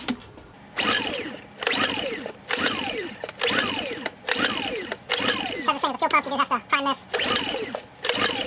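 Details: Honda EU2000i generator of unknown hours, choke on, after cleaning the carburetor bowl and pickup tube: repeated recoil pulls about once a second, and the engine spins briefly but never fires. Fuel is present; carburetor soak or fuel pump check suspected. No start.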